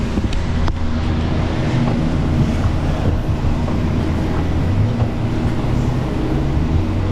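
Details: Nissan whose owner says it sounds like it's dying: a steady low droning rumble while driving, with some wind noise, from a bad wheel hub bearing that is diagnosed and replaced.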